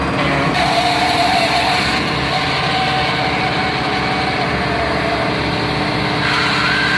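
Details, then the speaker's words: Rebuilt John Deere hydraulic pump on test bench, oil at 20 °C: 30 litres flow at 0 and at 200 bar with no loss, relief valve opens at 200; steady even whir, no knocking or pulsing; healthy pump. "25, 30 литров при давлении 0. При давлении 200, 30 литров, потерь нету."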